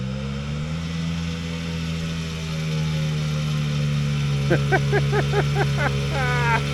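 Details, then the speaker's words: Vintage single-cylinder two-stroke race sled on test holds a flat, low drone that won't climb, then stutters in uneven pulses; it is doggy and ran better when first built, partly blamed on the weather. "I think it's partly the weather today you know I was just testing the XLT and it's Mega boggy too"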